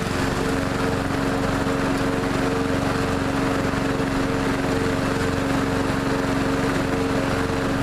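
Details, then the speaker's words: Neglected riding mower revived after spindle repair with grade eight hardware, blades reinstalled: steady small-engine drone with even tone, no misses or knocks while mowing; running and cutting evenly. "but it seems to be running good and mowing good it mows evenly"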